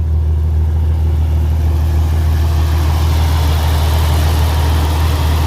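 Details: Jeep XJ that had been shutting down, after a new crank position sensor, new air filter and fuel supply sorted; engine settles into a steady, even low-drone idle with no misses or knocks, both fans whirring; owner suspects overheating or a shorting wire for the shutdowns; sounds normal.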